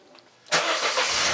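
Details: 2000 Mercedes SLK 200 Kompressor (R170) starting after a new 100 amp fuse was fitted and the battery reconnected: quick crank, catches at once, settles into smooth even idle; battery then charges at 14.29 V, charging fault fixed.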